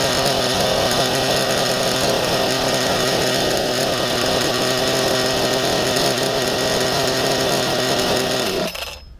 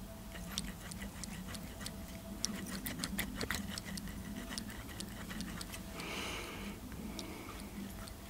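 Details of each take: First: Nova B3 nitro RC buggy engine running cleanly: a loud, high, even buzz held steady for about nine seconds, then cut out to handling sounds; it later kept sticking. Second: Nova B3 nitro RC engine, cold, turned by hand with piston and sleeve stuck in place: irregular dry clicks and gritty ticking from a rough crankshaft bearing, suspected, not confirmed.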